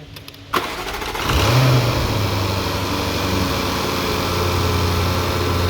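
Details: 2015 Jaguar F-Type, 72k miles, test start after repairing a hydrolocked engine with new starter, spark plugs and air filters: the starter cranks briefly, then the engine catches and settles into a smooth, steady idle with no knocks or misses. Normal idle.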